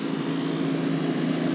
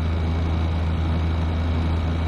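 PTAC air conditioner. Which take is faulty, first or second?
second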